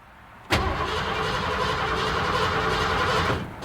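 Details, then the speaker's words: 1986 Ford F-150 with 5.0 L V8: cranks steadily for about three seconds but never fires, then the starter stops; crank-no-start, fuel gauge near empty. "so now I'm going to confirm the customer's complaint we're going to crank the engine so as you can hear the engine cranks but it doesn't start"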